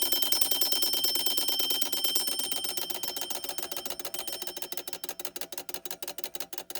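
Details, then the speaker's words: 1935 Westclox Sleep-Meter alarm clock after mainspring replacement, bell refitted: fast even hammer strikes on the bell, slowly fading as the spring unwinds; alarm rings properly, second time in decades. "This alarm has been heard for the second time in, like, I don't know, 20, 30, 40 years. I don't know when the last time this was messed with, other than 2 months ago. But now we have the alarm actually running."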